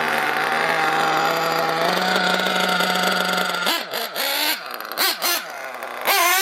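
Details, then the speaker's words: RC nitro engine idles high and, after full throttle bursts, stays revved and runs on before slowly settling; idle gap too wide and bottom-end mixture too rich, high speed possibly lean. "Yeah, you kind of, after a full burst, it kind of runs on a little bit. It tells me the idle gap's too wide and it's too rich on the bottom. You hear that high idle, that means the idle gap's too wide."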